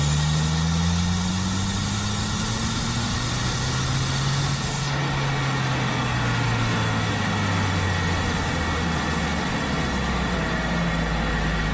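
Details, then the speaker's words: Audi A4 B7 Avant under boost: steady engine drone with a faint high whistle and airy flutter of boost escaping. Boost leak from a split OEM diverter valve leaves the car down on power, feeling naturally aspirated. "kind of sounds like air escaping from the balloon a little flutter like when you hold the end of the ball and let all that air up here the high pitch that is just all the boost just out the door gone basically"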